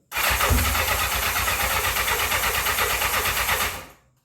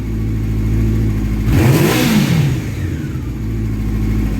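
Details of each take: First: 1984 Honda CB700SC Nighthawk in for carb issues. On choke with sour-smelling old gas, the starter cranks steadily at about three turns a second with no firing. No start. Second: 1984 Honda CB700SC Nighthawk after carb cleaning, warm, sooted engine being revved to burn deposits out of the pipe; one quick throttle blip then even steady running without misses or knocks until shutdown; smoke clearing, running well.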